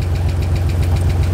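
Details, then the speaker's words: 1986 Nissan 300ZX reviving after sitting, idling: light, fast tick about eight per second over a low idle rumble; first thought a rod knock, then judged a lifter tick, oil found a little low; not confirmed. "nah that's a that's a lifter i guess we should check those oil in huh it's a little low"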